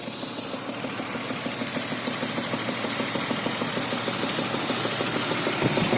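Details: BMW M52 2.0 petrol engine at idle: steady light knock about three times a second, caused by worn spark plugs; knock disappeared after the plugs were replaced.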